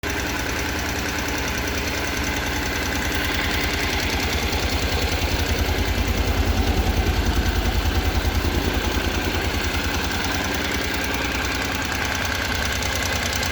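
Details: NC750X (2014, 55,300 km) just after a first-time DIY valve clearance adjustment: idle with a fast, even light tick of about three per second; valve train noise suspected, not confirmed.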